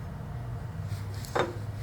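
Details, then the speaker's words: 1964 Ford tractor front wheel bearing during adjustment: one sharp metallic clink as the hub is rocked over a low steady hum, showing the bearing nut is adjusted too loose. "you hear the noise it makes that's too loose"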